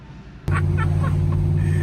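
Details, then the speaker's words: Turbo Chevrolet C10 truck after the misfire fix, which was cleaning plugged screens in two or three fuel injectors, with resurfaced heads and a valve job: the engine catches and settles into a steady, even hum with no stumble. It runs clean. "this thing works dude look at this oh i fixed it"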